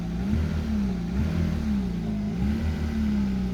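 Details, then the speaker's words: Mercedes-Benz W124 300CE-24 six-cylinder, 203,000 km, dead cold morning start with cold radiator and exhaust, oil pressure high: even, steady low idle with a smooth hum, no knocks or misses. Normal cold start idle. "there you go code start it's running from a dead cold like you know oil is pumping through the system so you can see the oil pressure is nice and high"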